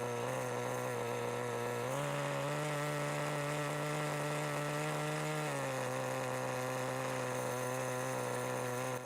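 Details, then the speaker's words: 1988 Kyosho Ford RS-200 RC car with OS Max 10 FP-B nitro engine, second startup since restoration: high steady buzz with clean even firing, stepping up briefly and settling back; healthy, smooth running. "and just like that it fires up super easy and it sounds great too"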